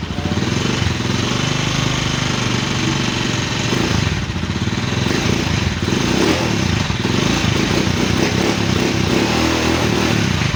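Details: Small new-model scooter that would not start, now running: it runs steady and even with no misfire or stumble, some street noise around it; running normally.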